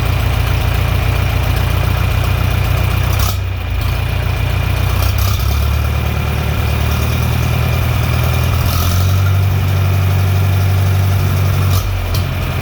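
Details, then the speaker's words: John Deere 3020 LP with new head, after carb adjustment: deep, even idle, steady low rumble, no misses or knocks; healthy idle. "there we go full idle be a little bit more adjusting on the carb but this time the carb adjustments actually did something"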